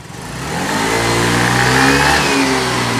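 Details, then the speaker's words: Yamaha Mio Gear scooter after repair: climbs from low burble to strong rising rev in about a second and holds smoothly; much stronger throttle response than when revved before repair, now healthy. "Kanina mga katropa, wala siyang ganyang gigil nung nirev natin doon na binaba natin sa pick up. Ngayon tignan nyo."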